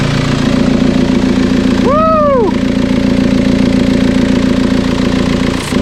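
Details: TDI diesel swapped into Toyota Tacoma, first start after engine and wiring work, no coolant in it: steady even diesel clatter at idle about 214 beats a minute, no knocks or misses; healthy smooth idle.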